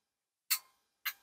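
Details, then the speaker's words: RME DB 22A WW2 preselector, antenna changeover relay on a voltage doubler (17.02 V open, just over 11 V under load): two crisp, solid clicks with no chatter or buzz. Relay operating normally. "oh that's a good solid click and that's pretty typical so just over 11 volts underload"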